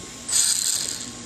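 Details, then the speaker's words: Pinion gear mesh after reassembly, with pinion screws that were rubbing pulled back to clear: brief high-pitched whirring buzz as the motor spins up and fades; mesh looks right by the paper method but still sounds off, not seemingly too tight. "But I'm still hearing something. See what you guys think that is. The mesh looks like it's perfect as far as the paper method goes. And I don't know, it still sounds like it's not."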